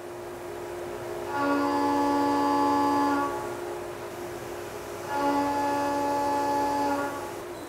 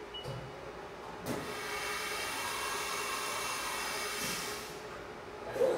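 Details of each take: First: CNC mill stable cut following the chatter demonstration, with only the spindle speed changed: two clean passes, each with a steady, even tone and no rattle; stable milling without chatter. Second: CNC mill chatter demonstration after a tap test: a loud, steady, high-pitched ringing squeal through the cut, fading as the tool leaves; unstable cut (chatter). Only spindle speed differs from the stable cut.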